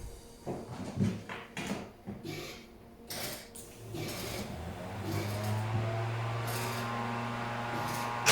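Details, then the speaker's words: TVR 290 S on MS2 with Ford TFI black CCD module, after months of setup: after some clunks it catches and settles to a steady, even idle with no misses or hunting; now idles and revs fine. "okay so that's it after months of trying to get the tvr to run right it's idling free revan fine now it starts up really well as well"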